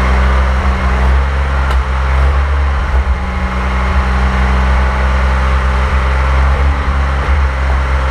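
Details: 1927 Avions Voisin C11, 2.3-litre sleeve-valve six, first start after a rebuild and about 60 years unused; a steady, low, even hum with a soft beat and no knocks or misses, running normally.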